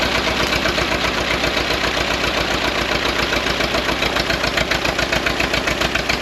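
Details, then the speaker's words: 1929 Ford Model A Doodlebug four-cylinder revived after years sitting, choked, timing backed down: fast, uneven patter with some misses; runs rough, owner thinks it needs carburetor adjustments and timing work. "all right she is running runs a little rough I'm sure it needs some carburetor adjustments definitely need to go through the timing"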